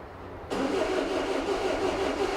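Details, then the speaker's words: 2002 Renault Master 2.2 dCi with intermittent crank no start, after fitting new genuine pump parts and heater plugs, air box off, low fuel: brief crank then diesel catches and settles into even clatter; fuel supply restored, starts. "Trying. It's alive! It's alive!"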